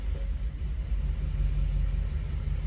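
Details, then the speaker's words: Coyote-swapped 2014 Ford Expedition on its first drive off: a low, lumpy rumble surges and sags unevenly as it pulls away. Owner suspects three injectors damaged by bad fuel. Misfire under load. "Yeah, look at that. Oh man, is it misfiring so bad?"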